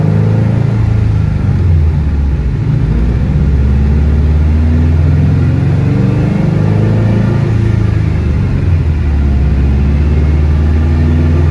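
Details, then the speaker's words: Car on dyno under full-throttle load, logging per-cylinder roughness; heavy rumble stumbling and running rough; misfire traced to cylinder four. "yeah you can see it's definitely misfiring quite a bit well not sure what's going on with it we're gonna do some troubleshooting"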